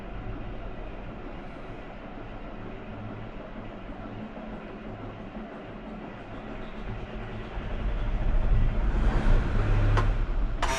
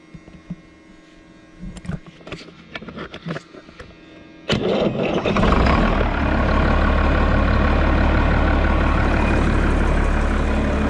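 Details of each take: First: Road grader diesel that sat long; weak fuel shutoff solenoid spring not pulling shutoff lever fully forward, lever in normal position: steady cranking about four beats per second drags on before finally firing and roaring; hard starting, owner says not the fuel. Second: Road grader diesel, starting problem from weak fuel shutoff solenoid spring not pulling shutoff lever fully forward; lever held fully forward by hand, jumped at charger: a few clicks, fires instantly, settles to steady even low idle; normal start.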